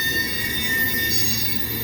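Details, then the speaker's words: Steady high-pitched screech in several piercing tones over the rolling rumble of passing rail cars, at noon at 90°F. The hot rails expand and pinch the gauge tighter, so the wheel flanges rub the railhead gauge face. "Anyway, that's the flanges of the car wheels rubbing against the gauge face on the railhead, causing that squeal. It's a little tighter the hotter it gets, and it's 90 degrees right now at noon."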